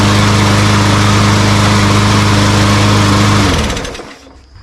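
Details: Walmart Hyper Tough push mower that would not start, after carburetor cleaning: small single-cylinder engine holds a steady, even buzz with no misses or surging, then winds down cleanly when shut off; running normally.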